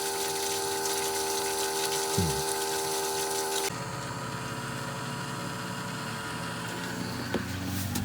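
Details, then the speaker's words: Boat bilge pump with more water added: it pumps, then its steady hum turns to airy slurping and it runs dry because the water is too low but the float switch hasn't shut off. Owner suspects the pump sits too high or the float switch too low. "The problem is now the pump is basically stopped. It's too low to pump water now, but the switch hasn't gone off yet."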